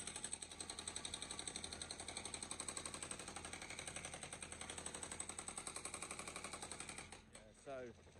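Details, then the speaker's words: Hydraulic breaker (repaired after its steel bit snapped) breaking out a pool and terrace: rapid steady sharp hammering about four blows a second, knocking evenly; working properly. "Tim broke his Pecker bit, this massive steel end, which you can hear the knock, knock, knocking."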